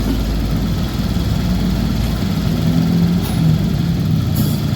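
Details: Honda Vario 125 scooter after repair of noisy valve area in the cylinder head: smooth low idle hum, steady and even with no rattle or ticking; normal idle.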